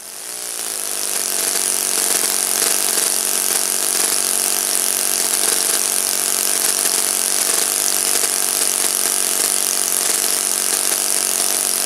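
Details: Saito FA-56 four-stroke glow engine, moderate-time, first run after rebuild with new bearings, on a 12x6 prop, OS F plug and 5% Omega fuel during a tuning and thrust run. A high, buzzy drone climbs briefly, then holds even with no misses: normal running.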